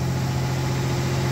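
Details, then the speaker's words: 1989 V6 Mitsubishi Pajero, first cold start after three days sitting, new stainless extractors and exhaust studs replacing leaking manifold: smooth even idle, steady low hum, no puffing or ticking; exhaust sealed, leak fixed. "all right first start stainless steel extractors there we go it's been sitting for three days damn cold good job brass no more exhaust leak how good is that"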